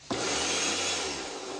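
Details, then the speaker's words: Kärcher pressure washer that started then shut off immediately, after cleaning and greasing the automatic shut-off: motor kicks in sharply and settles to a steady even hum with hiss; now starts and runs normally. "ya prende correctamente"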